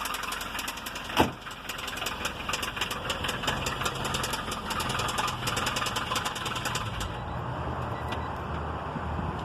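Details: 1993 Honda Civic petrol engine idling: sharp regular knock of several hits a second over the low hum; engine knocking.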